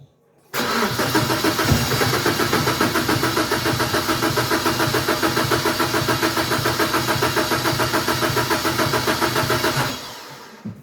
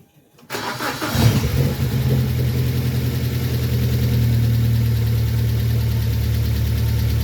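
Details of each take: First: BMW 116i E87 N45 1.6 engine after hydraulic lifter replacement and cam cover reassembly, fuel pump fuse removed: starter cranks evenly for about nine seconds without firing to prime oil; oil pressure came up, normal cranking. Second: 2006 BMW 1 Series E87 N45B16 1.6 engine, first start after replacing the hydraulic lifters and refitting the cam cover: cranks, catches, idles with a light fast tappety clatter that fades as the lifters fill with oil.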